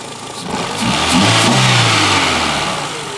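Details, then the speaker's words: Renault Twingo after ECU fault-finding, connectors reconnected: engine catches, revs cleanly and settles, running smoothly on all four cylinders with no miss; healthy running. "Oh yeah. Oh yeah. The Twingo is back alive."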